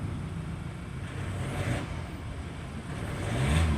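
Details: 2022 Ford Raptor 2.0 with TCM fuse repeatedly blowing (no crank, no start): after TCM communication restored, engine starts and runs with steady low rumble, gentle rev rise near end, even and knock-free; running normally.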